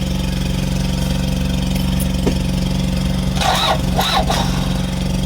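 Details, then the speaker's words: Kia Bongo Big Eye diesel that cranks but won't start: steady starter churn, engine turning over without catching; fuel supply present but shutoff valve stuck closed, cutting diesel to injectors; valve later removed, then it ran. "Although tinester ko siya kanina meron naman siyang supply pero naka-stock up close y'yung chat of bulve kaya hindi siya umaandar kahit anong gawin."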